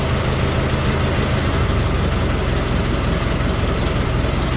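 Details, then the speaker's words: Ford Model T after a hand-crank cold start with choke: low, steady chuffing idle, even beat, no knocks; noticeably quieter with the new muffler, though a possible exhaust leak remains. "so uh you might notice it's quieter i can tell it's quite a bit uh quieter than it was with that new muffler that helps a lot"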